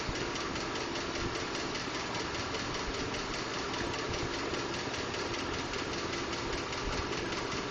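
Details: 2012 Ford F-150 5.0L V8 idling: light, uneven ticking or knocking; Ford diagnosed it as normal but is working on a solution; source unknown.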